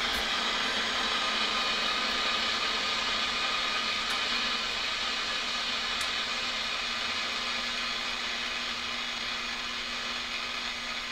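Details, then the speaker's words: 1940s Forestry Service radio receiver (transmitter/receiver pair) powered up during teardown; steady even hiss with a couple of faint clicks while tuning; receiver alive, just no stations on the band. "it's trying to receive there's just nothing on the band"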